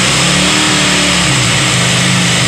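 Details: KTM Duke 200 BS6 with RPM fluctuating and the engine shutting off after start or throttle release, check engine light on; the single-cylinder idles with a wavering, unsettled note, traced to a faulty idle stepper motor, which gets replaced.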